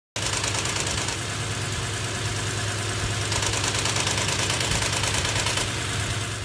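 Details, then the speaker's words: Toyota Land Cruiser 4.6 V8 at idle: loose clattery rattle under the engine note; stops when the intake manifold flap vacuum line is unplugged, so a loose, detached intake manifold flap; common past 200–300k km; timing chain replacement elsewhere didn't fix it. "经过我们断开进气支管上那个切膜腔的真空管，我们拔掉就不响了。 就证明呢是进气支管这个里边的切膜腔的翻板松动脱落在响，这个毛病呢也是4600跑到20-30万公里以上的特别容易出现的。"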